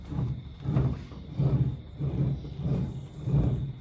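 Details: NV4500 manual gearbox, noise in 1st and 2nd gear, turned by hand off the truck: rough low grumble pulsing about every half second; broken gear tooth found.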